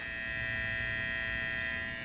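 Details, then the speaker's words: Steady electrical hum with strong upper buzz from a newly wired Halloween-themed custom guitar, one string fitted, on first amp test; builder guessed the wiring and suspects it is not grounded properly, rewire needed. "that's not good whatever that's on this I think maybe it's not ground properly"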